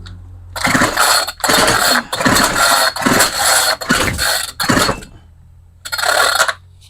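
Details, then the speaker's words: Homelite string trimmer that cut out after five minutes, carburetor just replaced and priming: repeated pull-start bursts of cranking that never catch, owner wonders if timing is off; cranks but won't start. "Is timing off on this thing? Huh. I don't think I'm going to get this thing started."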